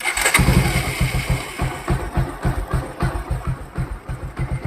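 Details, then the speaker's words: Bajaj motorcycle after fixing timing chain noise, chain now tight: cranks and catches quickly, then an even thump about three times a second with no chain rattle; smooth healthy idle after repair. "ये देखिए इसकी आवाज़ देखो, जैसे smooth हो गई है। ये देखिए पहले की जैसे आवाज़ नहीं, बिल्कुल स्मूथ हो गई है।"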